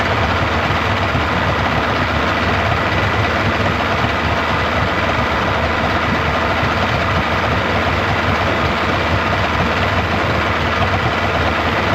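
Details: 1995 Yamaha 75hp two-stroke outboard in a test tub after water pump replacement, warming up: steady, even smooth low burble with no knocks or rattles; normal idle.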